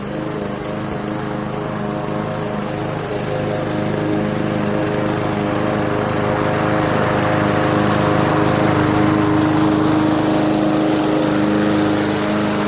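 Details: MTD Yard Machines 20" push mower, Briggs 300E, cutting grass after carb clean, throttle spring adjustment and draining water from the gas tank: even, steady drone, no stumbling or surging; normal running under load.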